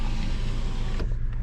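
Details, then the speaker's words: 2010 Hyundai Elantra 2.0L, power window repaired before state inspection. An even, unbroken motor hum across the full travel with no grinding, clicking or straining; the window now works normally. "So yeah, I did the window. That works now."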